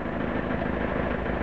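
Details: Citroen Picasso diesel idling after conversion to an external inline 3.5 bar electric fuel pump, mounted outside the tank so slightly noisier: steady even idle, faint extra pump hum, no knocks or misses; healthy.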